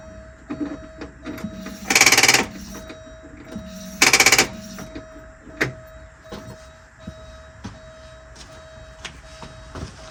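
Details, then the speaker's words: 41-year-old Porsche 944 with the ground cable unhooked: two short buzzy bursts about two seconds apart, no steady cranking rhythm; starter fails to crank because of a poor ground. "yep we got a Pok ground we got a poor Ground"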